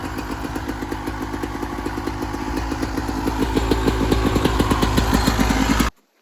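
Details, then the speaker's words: 1996 Yamaha YZ250 two-stroke after carb tune-up for rough low-end idle (pilot jet suspected), first start, still cold: crisp even steady idle, no stumbles or surging; idle much better after the fix. "Okay, probably take a couple kicks, get some fuel into the carb. Take it off. lot better just on idle."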